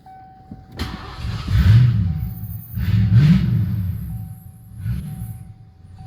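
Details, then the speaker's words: Beater car after a makeshift exhaust was rigged up in place of a missing exhaust that sounded horrible before: engine fires up, revs rise and fall deep and low with no rasp or popping, exhaust sealed; normal running after repair. "I just needed something to keep it from droning inside the capsule bad so what we're gonna do start it up once this thing sounds really horrible before so we'll see now"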